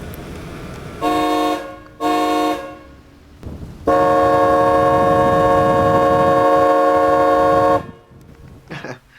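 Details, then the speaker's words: 1989 Lincoln Town Car Signature Series fitted with a non-original four-note Delco Remy horn (A, C, D, F) from a late-1990s Cadillac: two short honks, then a long steady blended chord, full and even; horn working normally. "sorry about that I got a little carried away with the horn I love that horn by the way that's not the car's original horn that's actually a Delco Remy horn from a late '90s Cadillac that has a four note which includes a a c d and f note"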